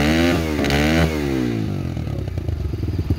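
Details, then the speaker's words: RFZ20 125cc dirt bike, new; revs drop from a quick blip to a steady, even single-cylinder putter, idling cleanly and settling normally. "but that's only if you start to hear it correct like right now it's idle fine here idle sounds good"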